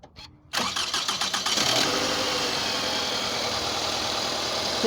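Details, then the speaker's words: 2004 Toyota Camry after replacing faulty ignition coils on cylinders 1 and 2: cranks briefly, starts without problem and settles into a steady, even idle. "que el motor ya encendió con ningún problema el problema era el cilindro 1 y 2"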